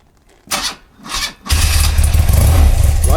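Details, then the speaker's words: BMW R100RT boxer twin before custom build, stock exhaust not yet slash-cut: two short starter bursts, then catches into a deep, even, steady idle with no knocks. Healthy-sounding start. "As I understand it, they're not stopped, but it's got a lovely sound. Um, it's going to sound a lot nicer when we've got slash cuts on it."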